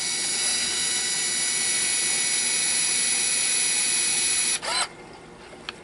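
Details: Fuji Discovery 1000 Zoom Date 35mm camera with batteries reinserted after an interrupted rewind reset: a thin high motor whine runs steadily for about 4.5 seconds, then stops cleanly; the film motor is cycling normally.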